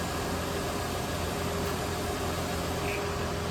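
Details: Ford F150 put in forward gear without revving: steady, smooth low hum, no knocks or clunks; transmission engages and moves, fluid level still to check.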